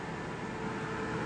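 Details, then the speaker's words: Aprilaire E100 dehumidifier after freeing a blower jammed against its cone (bottom pan pushed into blower bracket, possibly shipping damage): quiet, smooth, airy hum with no scraping or knocking; blower spins freely; normal blower operation. "The blower is definitely much louder than the compressor."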